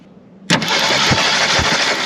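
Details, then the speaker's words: 1973 Jeep CJ5, sat 16 years, first start after cleaning ignition points and gapping: catches abruptly then fires rough with sharp irregular pops about twice a second, backfiring; timing advance being checked. "popping like crazy."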